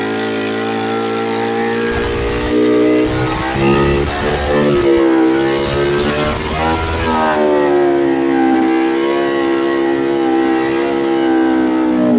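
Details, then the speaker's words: Late-1990s Polaris Explorer two-stroke ATV with no exhaust fitted: loud, raspy blat revving unevenly and hanging at a high idle, shifts poorly; still usable but runs erratically without exhaust. "so really a two stroke ATV without the exhaust is still usable but it's not perfect"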